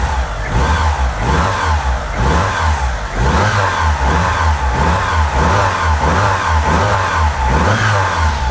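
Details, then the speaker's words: Mitsubishi Lancer Evo just after a timing belt job that corrected previously wrong timing: smooth, even revs rising and falling, clean steady exhaust note, no spitting or popping, smoother than before; normal revving. "Hey, I'm happy with that. That sounds pretty smooth. That does sound smoother than it did before as well with that with the timing being off."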